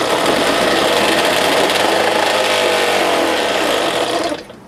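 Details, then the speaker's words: 1970 4 hp Johnson two-stroke outboard, first start after carb work with the choke on, briefly run without a full tank. Busy, buzzy two-stroke note holds steady a few seconds before cutting off; runs cleanly and sounds healthy. "I needed a victory, and there it is. Sounds good. Everything works."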